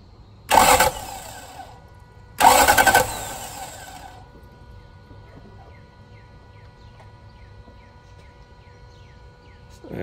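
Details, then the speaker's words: 1999 Toyota Land Cruiser 100 Series crank-no-start, cranked with the fuel filter's engine-side line disconnected to check fuel delivery: two short cranking bursts, starter spins but engine never catches; fuel found to be arriving. "this is the fuel filter disconnected the line that goes to the engine I'll just watch it as I crank it"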